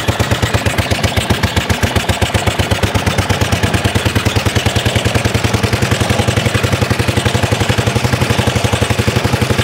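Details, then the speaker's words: 1930s Dennis Z Type 30in lawn mower, freshly revived after points and carburettor clean, running in drive: rapid sharp cracking bangs from the open exhaust; backfiring. "so people this is serious woohoo bit of a back part going on i love this this is proper"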